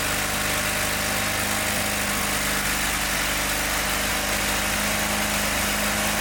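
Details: John Deere 318 lawn tractor: a weak, uneven idle with a soft irregular stumble under a steady hum, no power, and it got hot fast; the ignition points are barely opening, so the gap is too small.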